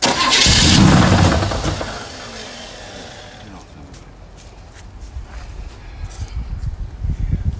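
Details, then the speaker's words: 1965 Pontiac GTO convertible, sat for 40 years, started during rebuild: loud crank and catch, then a rough idle with scattered crackles and pops about four a second. Sounds crackly; cause unknown. "Sounds crackly."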